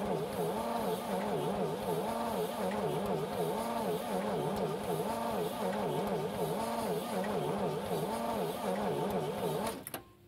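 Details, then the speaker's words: 1950 DeSoto S14 flathead six, 6-volt system, first start attempt after long storage (last service record 1966): slow, labouring starter churn with audible compression beats, never fires; cranks but no spark, owner suspects trouble with cylinder four. "that's what's bad about these old six volts they just don't crank very fast it's almost a vacuum you can hear the compression"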